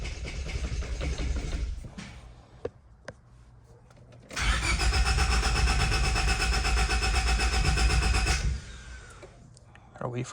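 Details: 1999 Honda Civic on its second start attempt after a fuel filter replacement: starter spins steadily for about four seconds but the engine never fires.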